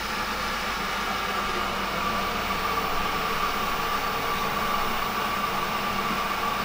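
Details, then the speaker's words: Centrifugal pump, electric motor monitored by current and voltage sensors: cavitation deliberately introduced, producing a steady rushing, gravelly hiss over a faint motor tone; cavitation score rises after a slight delay. "but now as you can hear temptations being introduced and with a slight delay will see the cavitation for rise there you go"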